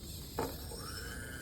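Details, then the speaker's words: RC servo tester driving a servo and an ESC-controlled motor together on one battery: a brief servo buzz, then a faint whine rising smoothly as the motor spins up; both work normally. "that my Servo Moto turns and my motor is spinning that's how you know your battery can do both"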